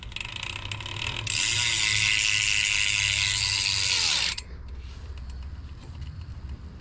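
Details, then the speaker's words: BMX bike wheel spun by hand: loud raspy ratcheting whir winding down in pitch, pointing to a noisy chain, possibly dirty; cause suspected, not confirmed. "la chaîne mais ça c'est normal parce que la chaîne peut faire du bruit aussi plusieurs raisons pour que la chaîne ferait du bruit"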